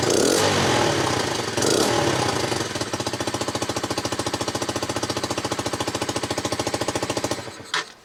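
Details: Low-mileage Honda CBR125 now running after replacing the injector, fuel pump and fuel: after a few seconds of cranking the single catches and settles into an even, steady idle near three and a half beats a second.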